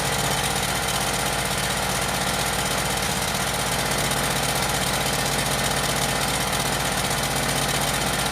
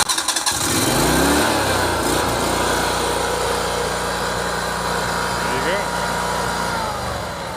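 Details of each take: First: Yamaha EF12000DE generator, Robin twin, after electrical repair with fresh fuel and auto choke, smoking: loud rough idle with uneven lumpy beat; seems to be running on only one cylinder. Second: Yamaha EF12000DE / Robin RGV12000 generator, cold start on fresh fuel in both tanks after electrical repair: quick crank, catches within half a second and settles into a steady, even run with no misses or knocks; normal cold start.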